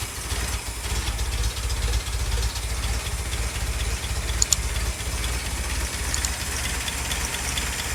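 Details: Jeep Willys restarted after nearly 15 years unused, fuel system cleaned from tank to carburetor, started first try without choke, cold. Catches and settles into an even low idle about two beats a second with no knock or stumble; normal idle.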